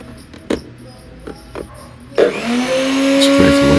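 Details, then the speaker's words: Nutribullet 600 Series blender after repair and reassembly, powering up with a few handling knocks then spinning to a steady, even whine; fault was contamination from a leak inside the unit; now working fine. "It's powering up. It's working fine now. I'm pretty satisfied with that."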